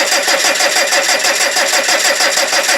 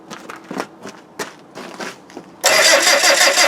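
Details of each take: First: TDI diesel, cold at about -4°C, during a cranking amperage test with fuel leaking from a damaged tank: fast, even cranking that never fires because the fuel shutoff solenoid wire was knocked off. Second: TDI diesel cold start at about -4 °C while cranking amperage is measured with a clamp meter: a few quiet clicks, then it cranks and fires abruptly into a hard, even clatter and keeps running; normal cold start without glow plugs.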